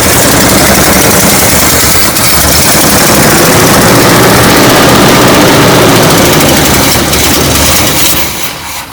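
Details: Classic Chevy ramp truck V8, after a shorted wire that had killed the coil module: loud, rough-edged but steady idle at about four beats a second with no misfire gaps; engine running normally.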